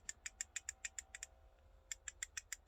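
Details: Arrma Infraction 3S brushless RC car, drivetrain turned by hand with a drooping gear mesh: sharp, bright clicks about six a second with brief pauses, suspected from the rear diffs, pinion or spur gear; not confirmed.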